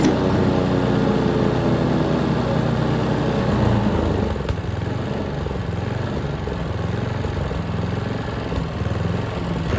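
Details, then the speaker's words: Troy-Bilt Tomahawk Pro chipper, 10HP Tecumseh, after freeing a stuck governor arm and remote throttle with penetrant: engine speed rises and sags unevenly instead of holding steady; surging blamed on a suspected dirty carburetor, to be cleaned next. "we hear that surging dirty carburetor that's where I leave you for today"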